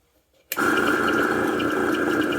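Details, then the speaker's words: Welch vacuum pump switched on: steady whirring hum with a mid-pitched whine, pulling no vacuum; the motor sounds unhappy and the pump later shut off by itself. "Okay, we can hear it's humming, so that just means the motor's not happy."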